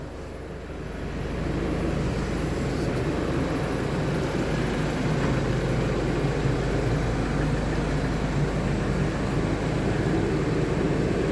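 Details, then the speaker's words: Isuzu D-Max 1.9 diesel, 104,000 miles, towing use, after oil and filter change for crank-no-start from low oil: steady even clatter settles after start, smooth idle, no smoke, no codes; normal. "there it is foreign runs no smoke like I said we've got no no engine management lights it had no codes not one not one code in it"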